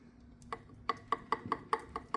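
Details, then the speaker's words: Turbo from a Honda S2000, shaft rocked by hand: sharp light clicks about every quarter second from a ton of in-and-out shaft play (worn thrust bearing); owner thinks it would probably still work. "This is the original turbo that I had on my S2000 that I was planning on using, but it's got a ton of in and out shaft play in it,"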